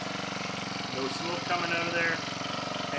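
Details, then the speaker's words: Husqvarna 324LDx hedge trimmer powerhead, 10+ years old, sat 4-6 years, idling on choke after new air and fuel filters, spark plug and degreasing; small single buzzes at a fast, even patter with no stumbles or surges, a clean, steady normal idle. "uh yeah I always like to give it a little rotational test to hear if you notice any differences in the engine but anyhow that sounds pretty good to my ear"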